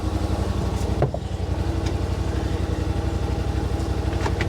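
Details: 2021 Yamaha Wolverine RMAX XTR 1000 4-seater, idling inside the cab, about 75 dB: steady, even low idle thrum with smooth pulse, no knocks or misses; sounds healthy.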